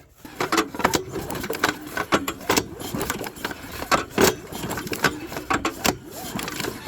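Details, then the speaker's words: Abandoned mower during a tune-up, older spark plug grounded and engine pulled over by the rope. Sharp, irregular snapping clicks with each pull over the spinning flywheel; spark is present and strong, orange rather than blue. "we got spark ideally you want to see like a blue um this one was more of an orange but this is an older plug um I'm not going to really get too particular with that because that is still a really nice spark and more than enough needed to ignite fuel"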